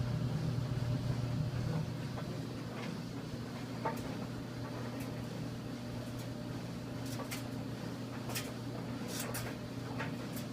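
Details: 1987 GE DDE7500GALWH clothes dryer after replacing the idler pulley, belt and slides to cure a loud clanking: smooth quiet low hum, no squeal or thumping, normal operation.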